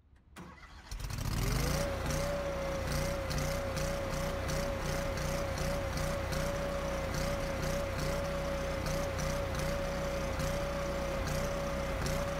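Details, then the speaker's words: Kohler engine started after ECU reset with TPS off by 7.4% (max TPS 48.4% vs learned 55.8%): catches then idle hunts and wavers about three times a second until idle-down solenoid activates; unstable idle from uncalibrated throttle position sensor. "changing from 48.4 to 55.8% doesn't seem that significant does it but listen to what the engine sounds like if started and ran while being off by 7.4% TPS"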